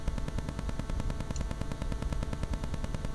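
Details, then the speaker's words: Rode VideoMic GO near Wi-Fi or a mobile phone: a rapid, even ticking buzz over everything from radio interference before the mod; wrapping the mic capsule in foil removes the ticking. "เวลาที่เราไปใช้งานในที่ที่มีพวกสัญญาณ Wi-Fi หรือว่ามือถือของเราเองเนี่ยนะครับบางทีจะเกิดสัญญาณรบกวนขึ้นเนี่ยจากเสียงที่มีสัญญาณแบบนี้นะ"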